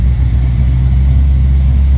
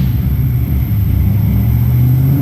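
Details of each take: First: L98 V8 first fire-up: a deep, steady burble with an even beat and no misses or knocks, idling smoothly. Fuel pressure reads a little low; owner doubts the high oil-pressure gauge reading. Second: Chevrolet L98 V8 first fire-up, fuel pressure a little low, oil pressure reading high (gauge possibly wrong): revs up smoothly, then sharp cracks and pops near the top of the rev; big backfiring, but it runs.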